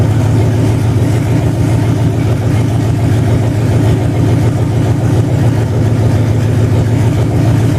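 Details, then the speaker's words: 2005 Dodge Durango 5.7 Hemi V8 on its stock harness modified for standalone operation, with new plugs and idler pulleys: deep, even idle with a steady low rumble, no ticks, knocks or misses, running clean on first start. "Well, that's pretty nice. No issues right off the bat. So anyhow, that's the Hemi 5.7."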